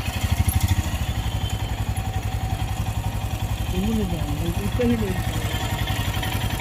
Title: Himalayan bs6 engine noise after runs or heat engine 24km above